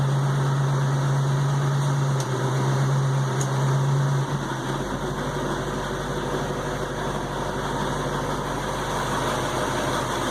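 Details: 1968 Ford Mustang, fully warmed up, idling in gear: faint rhythmic clunk about three per second under engine hum; occurs only when warm, smooth when cold, cause unknown.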